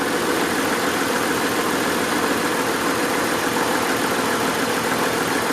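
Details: 1992 Acura Legend, engine slightly warmed, during injector unplug test: idle with an uneven, loping beat and a skip in the firing rhythm; dead-cylinder misfire caused by a clogged fuel injector, later replaced.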